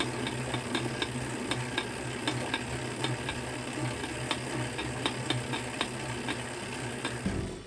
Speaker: it could be due to a lack of grease on the spacer or cassette body in the trainer axle